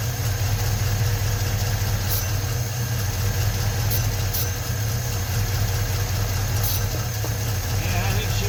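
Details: 1956 Ford truck, 45,000 original miles, first run after 40+ years sitting with new rebuilt starter: low steady idle rumble, no knocking or banging; normal idle, battery light on, possibly not charging.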